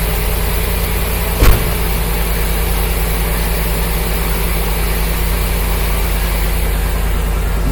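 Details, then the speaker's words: '54 rat truck, 305 throttle-body fuel-injected V8 with about 120,000 miles, after water pump work: steady low idle with even firing and one brief bump of noise; runs smooth, normal idle. "that sounds way better. It's not going."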